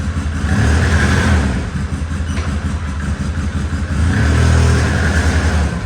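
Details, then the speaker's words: Polaris Sportsman 700 ATV after repairs: even single-cylinder thump rising cleanly with two throttle blips and dropping back smoothly, no misses or knocks; runs fine, though a missing rear prop shaft roll pin causes a slight pop at takeoff. "so got it running good down downside is the whoever put the rear prop shaft on when they put it on they didn't put the uh the roll pin in it back there"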